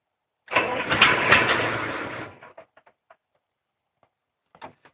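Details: Case 770 gasoline tractor, hard to start: about two seconds of fast cranking, roughly three turns a second, then a few weak sputters; it won't catch.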